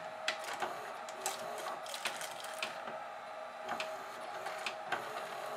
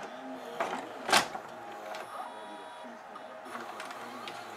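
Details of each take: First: GoVideo DVR4000 DVD-VCR with cracked drive gear detached from clutch, almost no take-up torque: quiet whirring with uneven clicks and clunks about four a second, transport hunting and straining, refusing to eject tape; owner suspects video lights upsetting infrared tape sensors. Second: GoVideo DVR4000 DVD-VCR after repair of cracked take-up drive gear detached from clutch, glued back: quiet whirring and soft mechanical clicks as tape loads and threads, no grinding or chewing; normal tape load, plays.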